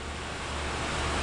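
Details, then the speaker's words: Sitek spin rinse dryer with 4-pole insert rotor ramping to 1800 rpm: only a soft steady whoosh, no wobble, rattle or vibration; smooth, quiet normal running. "again how smooth it is you don't feel it no vibration it's beautiful can't even hear it"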